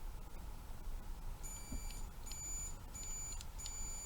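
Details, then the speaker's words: Craftsman multimeter on continuity test across the cleaned relay points of a 1972 Bally Fireball pinball: short high-pitched beeps about twice a second over room hum, showing the points are closed and making contact; they stop beeping when the relay activates. "Even if the meter sounds the way it should sound, like when the points are closed you hear the meter go off"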